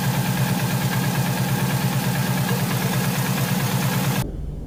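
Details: Subaru Impreza wagon, naturally aspirated, possibly overboosted: cold engine with deep, steady knock about three per second from the bottom end; owner suspects rod knock or bent rod, passenger-side bank shooting oil.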